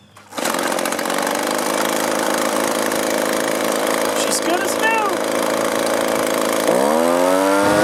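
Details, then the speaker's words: Echo two-stroke leaf blower after low, high and idle screw adjustment of the carburetor: high steady buzz with clean even note, climbing smoothly when throttle opens; now running properly. "the way this came it didn't run very well a little minor adjustment to the carburetor and it's running great now"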